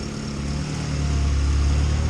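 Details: Honda EK hatch Type R turbo on its first start after an intercooler and piping install, with smoke from new parts breaking in. A steady, even low idle with no misses, knocks or hunting; it runs smoothly with no leaks.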